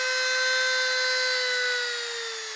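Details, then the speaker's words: Professional Woodworker rotary tool (generic Dremel), new, turned up to max speed: a steady high-pitched motor whine that sags slightly near the end, with not a whole lot of vibration. "This is turned up to the max. You can hear the whining sound."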